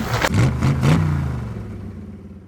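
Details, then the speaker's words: Dodge 5.9 Cummins diesel during injector and push tube work: a few quick rev blips falling back to a low rumble. Something sounds off, but the cause is not pinned down. "something don't seem right, get that little voice in your head. Listen, always listen."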